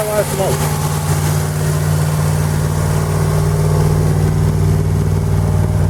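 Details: 1940 Buick straight eight on its first start in 30 years after a valve job, running with the valve cover off and oil smoking: steady, even low drone sitting noticeably fast, with idle held high because the idle adjustment cam rusted stuck.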